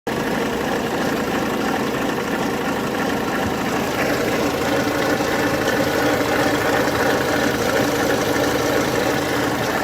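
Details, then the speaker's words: Opel Corsa 1.3 CDTI diesel at idle: a constant dry rattle and gritty whir from the badly damaged alternator pulley bearings, which need replacing soon. "Los rodamientos de la polea del alternador traquetean.."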